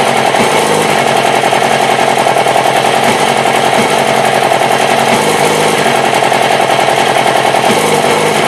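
Fast, uneven chattering pulses at idle, roughly three or four a second with no steady rhythm; this engine is idling rough. Cause suspected, not confirmed.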